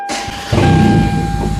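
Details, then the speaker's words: Demolition derby car with starter bypassed by a thick hot wire to positive: short crank, then the engine catches in reverse into a loud, lumpy low rumble under a steady thin whine; starts and runs in gear. "Look at that, starts up in reverse. So that is why I bypass the starter."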